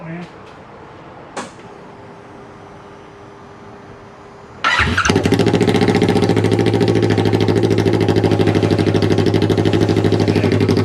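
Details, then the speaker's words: Vehicle on a newly tuned VForce John ECU, cat cored, muffler removed, first fire: quiet, then loud raspy pulsing unmuffled idle, a little uneven; rough because of the new ECU on first start. "yeah this is the first fire so it's going to sound kind of rough because it's on the new uh ecu"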